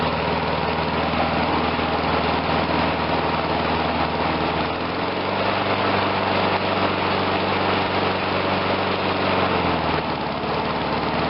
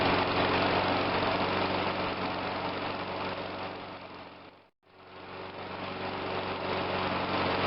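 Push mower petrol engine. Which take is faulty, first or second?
second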